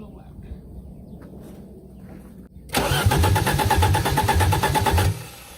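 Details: 1984 Audi 4000 Quattro 5-cylinder, first start after reassembling intake, CIS fuel injection, ignition and vacuum, exhaust disconnected: quiet, then about 2.5 seconds of rhythmic starter churning at roughly three beats a second, stopping without catching.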